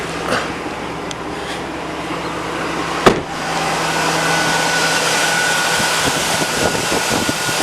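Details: 2002 Chevy Avalanche V8, cold start after sitting outside almost a week in cold, snowy weather on a weak battery: sharp catch, then a steady even idle with no knocks or misses; healthy cold start.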